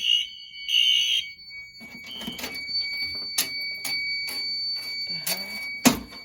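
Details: Home fire alarm test with an SK2 panel (broken resistor, no batteries). After the Firelight BG12 pull station trips, loud shrill horn blasts, then sharp pulsed bursts. The horn is sounding properly.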